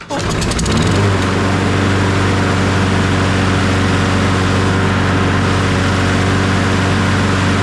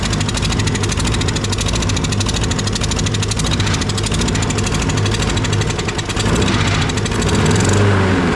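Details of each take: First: Toro 22-inch Recycler 20332 mower, Briggs & Stratton Quantum auto-choke, previously barely running rough: after cleaning the dirty carburetor and adding fresh fuel it catches and settles into a steady, even drone with no surging or missing. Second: Toro 22-inch Recycler 20332 mower, Briggs & Stratton Quantum engine with auto-choke, run with the air filter off: choppy surging running with stumbles; mud found in the air filter, owner suspects water or dirt in the fuel or carburetor.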